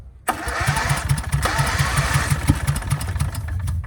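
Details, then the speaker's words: 24-year-old Generac 10000EXL generator with a Briggs V-twin, unused for 8 years, choked: steady starter cranking at about five pulses a second with sporadic louder pops as it tries to catch but doesn't. A backfire from excess fuel followed. "Sounds like it's starting. Good try."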